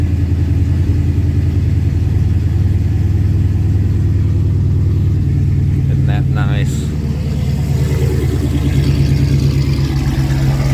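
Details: SRT8 6.1 V8, new billet thermostat housing, just after a cold start following weeks sitting in snow: deep, steady burble with no knocks; the owner notes no power steering pump whine. Normal cold-start idle.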